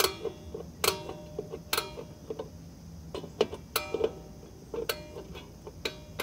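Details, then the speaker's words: 2001 Toyota Corolla rear drum brakes, new shoes and drums, star wheel turned from minimum adjustment: sharp single ticks notch by notch, each tightening the shoes; several clicks needed before shoes rub the drum; normal adjuster clicks. "it'll click as I'm turning the star wheel and every click makes it just a little bit tighter and spin it by hand it's still not still not contacting yet"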